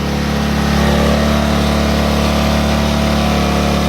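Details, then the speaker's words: Baja 90cc Wilderness bike after an engine swap, at fast idle: loud, steady, rough low drone with a strong shaking beat, louder than the other bike. It vibrates badly; owner plans rubber bushings at the motor mount, cause unknown. "rubber bushings in between the motor mount, because this thing vibrates. It really vibrates. I don't know what's making it vibrate."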